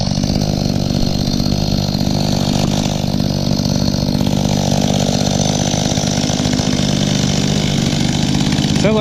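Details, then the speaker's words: Echo two-stroke outdoor power equipment being revived: buzzy running with the speed wavering rather than holding steady. Uneven running; the carburetor needs adjusting. "need to do some adjustments on the carburetor on this one"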